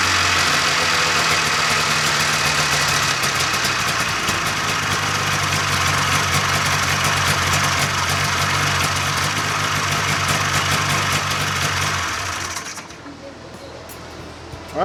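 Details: 1995 Polaris Indy 440 snowmobile two-stroke after carb cleaning, new fuel lines, fuel pump and carb boots: crisp, busy buzz holding an even, steady idle for twelve seconds before shutoff; runs clean and healthy.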